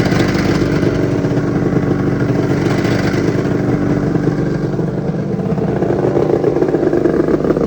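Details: 1996 Arctic Cat ZRT 600 two-stroke snowmobile, cold start outdoors the day after fuel pump rebuild, fuel turned back on: steady even idle with smooth buzzy beat, no misses or surging; normal idle.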